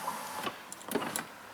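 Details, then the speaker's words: 2008 Chrysler Town and Country with no power locks or windows from the driver's door: only a few short, faint whirs and clicks from the rear wing windows; intermittent power window operation, interior CAN fault suspected. "Okay, so these rear wing windows, they work. You can hear them probably."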